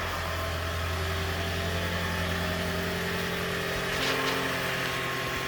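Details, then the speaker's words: Toyota Prius petrol engine about 600 miles after head gasket replacement: even idle with smooth steady hum, no knock, tapping or misfire, no leaks; normal idle. "yeah running nice and smooth there's the motor"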